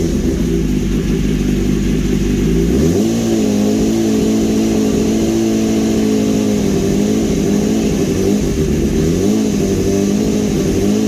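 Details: 2015 BMW S1000RR after engine swap, smoky, no system light, oil topped up: steady, even engine note with two smooth rev rises and clean drops back to idle; runs strong and healthy.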